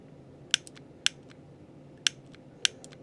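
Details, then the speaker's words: 2004 Chevrolet Silverado old multi-function switch: four sharp loud pops with fainter clicks when using the turn signal in a quiet room; worn switch, replaced and the new one does not pop. "that popping sound that's what it was doing so the new one does not do that"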